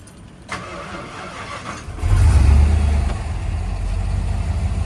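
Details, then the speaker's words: Truck after mass air conversion, with a replacement coil for the bad one and timing just set: starter whirs briefly, the engine catches quickly and settles into an even, steady idle with no misses; noticeably smoother than before. "You can see it's a lot, I don't know if you guys can notice, but I notice it's a whole lot smoother."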